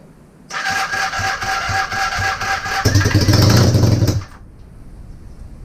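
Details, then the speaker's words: Honda CB250N Superdream project bike built from boxes of parts, new spark plugs, easy-start sprayed in the cylinders, half choke, slight throttle: cranking that briefly catches with rough, uneven bursts before dying. Fires only intermittently. "something let's try again come on baby something finally what's that just gas what was that petrol as well it's smoky in here now not surprising she catches again"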